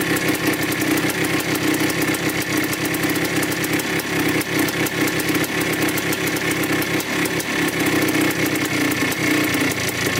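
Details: 1987 Yamaha YZ 490 two-stroke after carburettor rework for bogging, warming up: crackly burble holding a steady, even idle with no misses or bogging. The air mixture screw is at 2¼ turns out, in spec.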